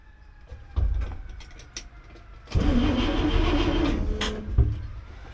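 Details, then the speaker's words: 1964 IH Travelall C1100 with new starter, foot on brake, put in second gear: starter groans under load about a second and a half, truck won't move; clutch suspected stuck, attempt to break it free unsuccessful, not confirmed. "So, I'm still not getting any transmission. Uh, that's kind of a bummer."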